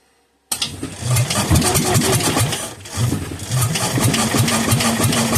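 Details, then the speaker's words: Kohler K241 10 hp engine that sat for years, running only on fuel poured into a filled carburetor and bottle-fed: sudden start into ragged, surging firing that bogs and picks up unevenly. "I'm going to put some in the carburetor I'm going to fill up the carburetor and see if it'll just run and stay running"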